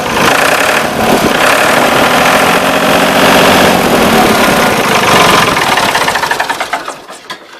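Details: Ford 3910 tractor diesel after new muffler and injection pump throttle shaft O-rings, fuel leak fixed; loud steady clatter at even pace, winding down smoothly at shutdown: normal idle.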